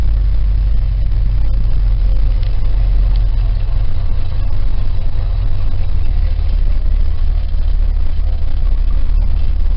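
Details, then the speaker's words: 1968 Cadillac V8 on a cold start, on choke: very low, loping idle; warms up to about 700 rpm; cause of the low choke idle not yet found. "the choke their idols real low it's odd I haven't figured out exactly what the problem is but I'll figure it out"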